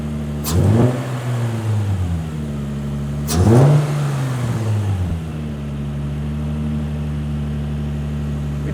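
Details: Nissan 350Z VQ35DE after replacing idler pulleys and belts with idler pulley delete, fixing belt squeal: cranks, catches, two quick revs, then steady even idle with no belt squeal or chirp; normal start and idle.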